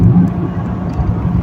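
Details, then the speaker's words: Four-cylinder car on a test drive after a misfire, with new plugs, ignition coils cleaned, dried and tested at 3.8 ohms: steady, low engine drone with no stumbles or stutter, misfire possibly fixed. "Well, if you can hear me, I've gone now for a test drive in the car. All the coils have been cleaned and dried off. The spark plugs have been polished and I'm not feeling any evidence of a shuttering or stuttering of the timing of the engine."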